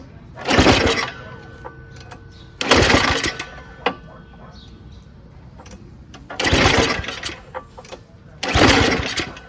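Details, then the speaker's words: Yard Machines 22-inch dual-stage snowblower, 5.5 hp Tecumseh Snow King engine, pull-started unchoked on a hot day: four hard pull bursts, spinning briefly but never catching; crank, no-start despite spark, cause not confirmed. "we could tell it's getting spark but it's just not turning over completely"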